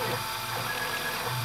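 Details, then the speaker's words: Taig 2000 CNC mill on Taig half-step controller driven by Mach 4 via Ethernet SmoothStepper: fast gritty rattling buzz from the stepper motors during slow contour moves, like a bag of marbles; normal half-step artifact at low speed. "you might have noticed the mill kind of sounds like it has a bag of marbles in it sometimes"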